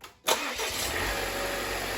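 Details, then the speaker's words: 2015 Volvo S60 direct-injection petrol engine, no sound deadening, started during coolant leak repair before reaching temperature: catches at once, smooth idle with light quick ticking, the normal diesel-like injector and valve clatter. Normal idle. "It doesn't sound bad at all. This engine runs really well, really smoothly."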